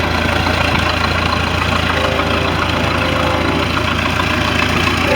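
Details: MerCruiser I/O sterndrive that wasn't pumping water at idle, final run after repair of the worn upper-drive water tube grommet: smooth, even idle with steady low rumble, no knocks, misses or surging; normal idle.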